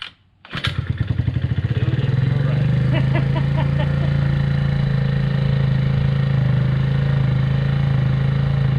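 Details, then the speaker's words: Rebuilt 50cc GY6 scooter on its center stand, cold start: catches after a brief crank, then holds a fast steady buzzing idle with the rear wheel spinning until warm, when the idle drops to normal. "whenever you start it, the back wheel will spin, and then once it warms up, it'll stop spinning, and you'll hear the idle kind of drop down, you know, to normal."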